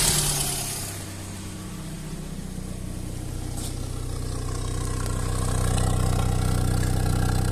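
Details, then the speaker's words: Lada classic 1.5 with rebuilt Solex 21083 carburettor (24 mm secondary), after warm-up: settles from a rough start then revs smoothly with no stumbles or flat spots between chambers; healthy revving. "так працює Я на ньому проїхався їде прекрасно міжкамерних провалів Ніяких немає"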